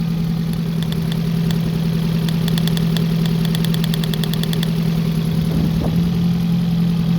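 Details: 1987 Honda Integra that needed some cranking to start: uneven idle with a recurring stumble and light ticking, cylinder 2 misfiring (no change when tested, cylinder 1 fine); spark not suspected, borescope showed nothing wrong.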